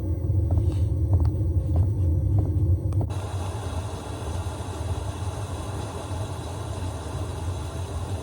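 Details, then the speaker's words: Diesel heater dosing pump: sharp even ticks about every 0.6 s over low hum, then rain sound played in front masks them; ticking is normal, not removed, only masked. "And as you can see, the tick, tick, tick didn't go away, but the masking of that soundtrack of rain falling down effectively masked the tick, tick, tick sound."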